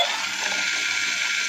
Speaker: तो जैसा कि आपने देखा, केवल इसमें से हमें साउंड आ रहा है, इसके पैर वर्क नहीं कर रहे हैं। इसमें से केवल मोटर की आवाज़ आ रही है चलने की।